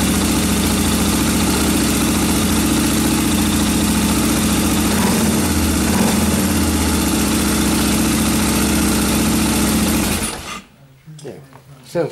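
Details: Suzuki DR650 single with carburetor needle clip returned to the 2nd position from top: thumps at a steady, even idle for ten seconds, then shuts off cleanly; runs healthy.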